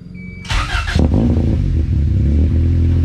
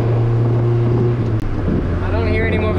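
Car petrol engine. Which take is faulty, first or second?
first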